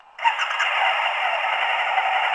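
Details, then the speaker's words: Suzuki DL1000 V-Strom adventure tourer V-twin, key pressed once with built-in alarm: steady even whirring hum holding without faltering; fuel pump priming normally before start. "No, so just a single press, and there you can hear the fuel pump prime."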